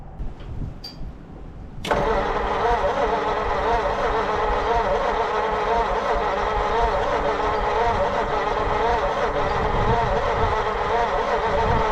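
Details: 1940 Mercury Eight stored since the 1970s: long steady cranking with uneven puffs trying to catch but never running; cause not confirmed.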